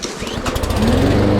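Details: New Troy-Bilt TB200 21-inch self-propelled front-wheel-drive mower with a 140cc Briggs & Stratton 550e engine, first start pull: catches within a second and settles into an even, steady drone; healthy start.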